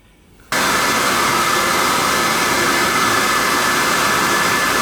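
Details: Riello oil burner after annual service, fired on a heat call: lights instantly and settles into a steady even roar, no pulsing, rumble or sputter, starting and running clean.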